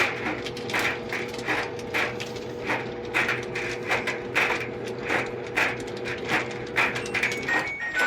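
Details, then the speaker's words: LG DLGX3901W gas dryer, top removed, running: bright metallic clinks each drum turn over a steady motor hum, from coins trapped inside a drum baffle. "I could definitely hear something bouncing around. Almost sounds like coins. So when I turn the drum, you can hear it falling down."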